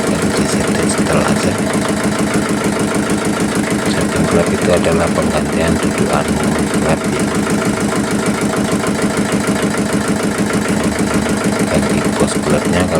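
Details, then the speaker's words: Yulin 2105 rice-mill single-cylinder diesel, hard to start from compression leaking past the valves; after valve lapping and clearance setting, it starts and runs an even, rhythmic chug at high and low throttle with no valve puffing. Normal. "Mesin sudah mau hidup, gas besar mau, gas kecil sudah mau dan oke kita matikan."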